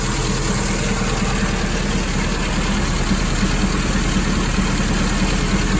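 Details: 1961 Triumph TR3A, twin SU carburetors, idling after ColorTune mixture setting during carb suction balancing: steady, even low idle with smooth regular beat, no misses or hunting; carbs sound well balanced.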